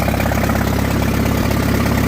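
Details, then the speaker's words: Farmall at auction, started without choke: crisp even firing pulses at slow steady idle with snap-crackle-pop, no knocks or misses; good oil pressure, healthy four-cylinder. "And word to the wise, no choke. I didn't I didn't use any choke at all. Got that snap crackle pop."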